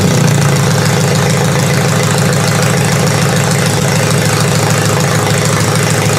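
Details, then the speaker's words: Toyota demolition derby engine after changing spark plugs, still hard to start: steady idle with slightly uneven loping beat about three pulses a second; runs but a bit rough, bad injector possible but unconfirmed. "she's still running a little bit under the weather but it's running now which is nice"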